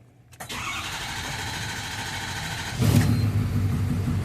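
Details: Ford 6.7 Powerstroke diesel after a fuel-system return test traced rail pressure loss to the number three injector: it cranks briefly, catches first try and settles into a steady, even idle; normal start.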